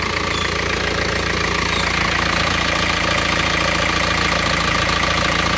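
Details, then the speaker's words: Isuzu Panther diesel after a second engine overhaul, following a rebuild a year earlier that left it smoking and using oil. Steady, even diesel clatter with no knocks or misses; it revs smoothly and power is fine. "nah ini suara mesinnya seperti ini halus y [Tepuk tangan] gas-gasja halus kan suaranya untuk tenaga sudah oke banget"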